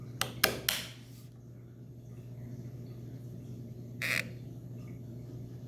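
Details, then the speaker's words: FIDO smart lock after rain damage, fresh recharged batteries inserted: a few quick clicks then a short chirp at about four seconds, the normal power-up sound showing the lock works electrically though the fingerprint reader and indicator light are dead. "So listen carefully now this time when I put the battery to prove that the machine is working, just the fingerprint reader is dead."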